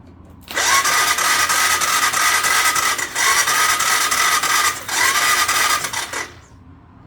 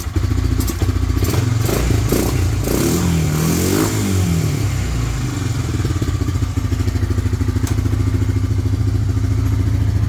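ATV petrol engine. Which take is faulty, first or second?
first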